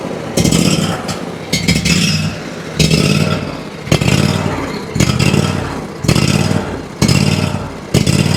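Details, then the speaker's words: Ferris IS3000Z mower, 27 HP Briggs & Stratton commercial V-twin, low power, ethanol-free fuel, choke applied: engine surges and sags about once a second, evening out with choke; suspected carburetor problem, with bad-looking fuel. "I was actually able to get it to even out there with the choke, whereas before I wasn't able to. That's pointing me towards a likely carburetor issue."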